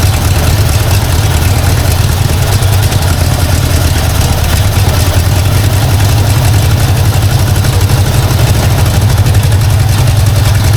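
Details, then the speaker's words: 1952 Ford Crestline engine, long-stored, running on hand-dribbled fuel: deep uneven loping idle, not running on all cylinders; owner suspects a vacuum leak, possibly the wiper vacuum line; rough idle, cause unclear. "it's not quite running on all though definitely something going on there just going to try to idle it up here a bit unless I have another vacuum leak I don't know about"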